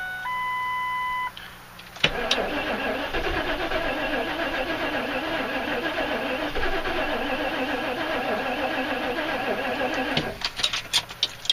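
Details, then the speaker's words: 1998 Ford Expedition on a cold morning, charged older battery, about a quarter tank: warning chimes, then steady cranking about eight seconds with faint sputtering catches that never pick up, fuel smell; won't start even with starter fluid. Owner suspects no spark. "I don't know if I'll be able to turn up the sound on YouTube or something so you guys can hear that part where it sounds like it's kicking over, but it won't start."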